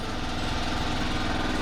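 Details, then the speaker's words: DeWalt air compressor converted from 120 V to 240 V, heard with the door closed: steady even pump drone, fast regular beat, no knocks or squeals; running normally, not very loud. "It's not very loud out here."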